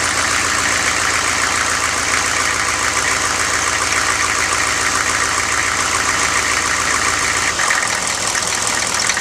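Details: 1995 GMC Suburban 6.5L turbo diesel, first start after an HX35 Holset-clone turbo upgrade, warming up: steady, even diesel clatter at idle with a constant turbo hiss, settling into a smooth, regular run.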